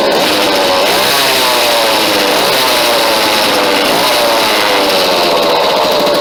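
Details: McCulloch Mac chainsaw after cleaning flywheel and cooling fins, new fuel lines and clean filter: high buzzing two-stroke note holding fairly steady with small pitch swings; runs evenly and healthy.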